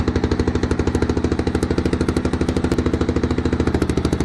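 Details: 1993 Yamaha XT 600 E (3TB) enduro, first run after sitting about 12 years: loud, rapid, even thumping with no misses; the single runs steadily at idle.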